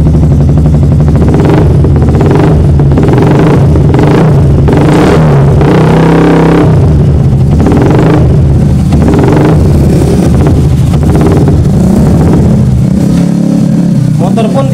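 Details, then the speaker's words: Yamaha R15 with MIL code 46, charging over-voltage up to 18 V and battery at 12.6 V, regulator suspected: engine keeps running but each throttle blip only nudges the revs before falling back; it will not rev, limp-mode style. "pun tidak bisa digas Pak."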